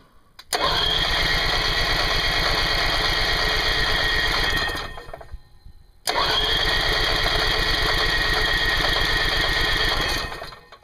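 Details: Onan 2.8 kW generator in a toy hauler, long-sat with old turpentine-smelling gas replaced by fresh fuel, freshly charged battery, fuel not yet priming: two four-second cranks, fast even starter chugging, never catches; cause unconfirmed.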